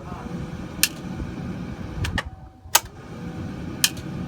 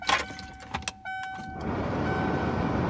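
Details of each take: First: Ford 7.3L diesel F250/F350, glow plug system test with the key on. A sharp single click is heard among the cab chimes and clatter: the glow plug relay is switching normally. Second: Ford 7.3L diesel F250/F350 glow plug relay with key on: quick chattering click about four times a second instead of one solid clunk. Failed glow plug relay.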